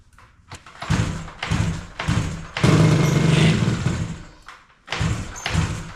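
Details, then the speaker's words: 1985 Yamaha RZ350 two-stroke, sat about 10 years, cold start on choke with premix fuel: uneven lumpy exhaust bursts that surge and drop, seems to run on one cylinder with right cylinder weaker; owner suspects fouled original spark plugs. "really seems like it's running on one cylinder um the right cylinder seems to be maybe a little bit weaker I don't know if it's got a Fed plug because it did run good at one point so I'm assuming it's just F plugs"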